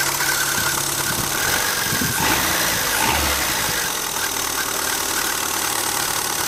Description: My lovely Renault Twingo 1.2 with D7F engine, 1999, makes strange squeaking sound when engine is cold.